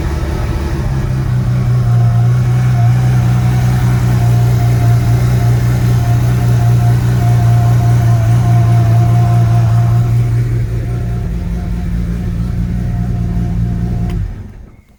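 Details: BMW B220 marine engine on a Sunseeker XPS 25 1980s powerboat, first start after priming fuel via filter/water separator pump, zero throttle: catches and settles into a steady, even low drone with slight rise before shutoff; runs clean.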